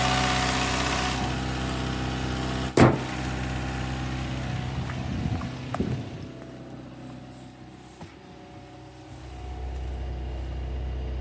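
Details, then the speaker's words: Daihatsu Mira petrol engine on a very cold start after sitting almost two weeks, idling: a faint thin squeak over the hum from a slipping alternator belt (new belt ordered); earlier lifter ticking is gone after a Prolube additive. "The squeaking you hear is the alternator belt. I got a new belt on order, but the ticking noise is gone."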